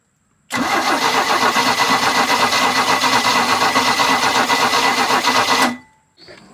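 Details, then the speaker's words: 1986 Larson V175 Seneca ski boat engine: steady fast starter cranking, about four turns a second for five seconds, never fires; spark tester shows no spark, distributor cap and points to be checked. "right so I got my spark tester on there I spun it over and it's not uh it's not sparking so we're going to pop the distributor cap off and check underneath there"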